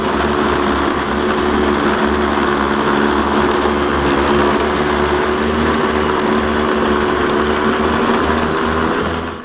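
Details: 2002 Bombardier DS90 two-stroke after new aftermarket top-end swap (was 65 psi compression), reassembled: high buzzy note holds steady and even with no knocks or misses, then cuts off; sounds healthy.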